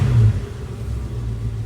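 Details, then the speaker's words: 1966 Ford Mustang Convertible after cold start, about 90 seconds running with temp gauge rising; throttle blip to kick off choke gives a deep, even rumble that swells and settles to a smooth steady idle: normal throttle blip at warm idle. "been running about 90 seconds getting it going we're almost there I'm just going to blip the throttle see if I get choke turn"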